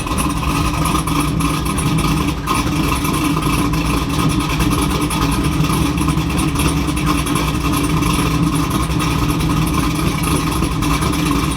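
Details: 2002 Camaro SS with a freshly built LS V8, starting after the VATS security system was disabled via HP Tuners to cure a no-start: smooth, even idle with a steady deep burble, no knocks, misses or hunting.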